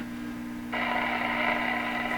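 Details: Northern Electric Baby Champ AM tube radio on the bench with signal tracer: hum steps up to loud steady audio at about 0.7 s despite volume at minimum, pointing to a volume control that has lost its ground connection.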